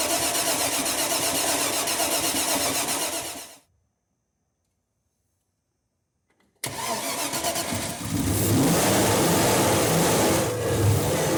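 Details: 1993 Land Rover Range Rover Classic under restoration, reassembled, first start attempt: fires promptly after a pause, then runs and revs smoothly with an even, steady note; normal engine start and revving.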